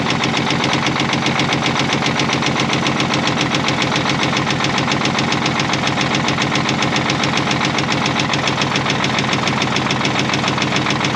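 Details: Caterpillar 977L with 10.5L CAT diesel at idle: steady heavy knock three to four per second despite good oil pressure in the green; injector cracking found cylinder 6 dead, internal source still unconfirmed.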